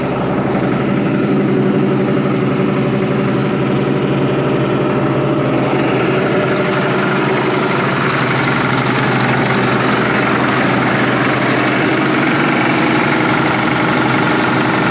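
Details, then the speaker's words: Allis Chalmers 7580 tractor after the failed fuel pump was replaced with a new Holley electric fuel pump, with no leaks: a steady, even idle with a smooth, low rumble and no knocks or misses; engine running healthy. "no leaks sounds good awesome so there we go uh new fuel pump on the 7580 and as always take care thanks for watching"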